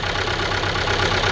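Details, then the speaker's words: Renault Megane 2 1.5 dCi idling with code P0301 and raised rpm: uneven lumpy idle with a rhythmic stumble; unplugging cylinder 1 injector connector changes nothing, so that cylinder is dead, with a stuck injector. "троїть і все таке тому ми розуміємо що це вона"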